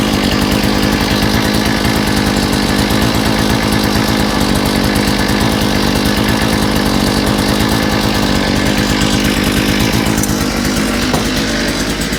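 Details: Small two-stroke with a new carburetor, after correcting reversed fuel pickups and clearing a kink in the fuel line, gives a loud, steady buzz at an even pitch with no stumbling or surging; normal running.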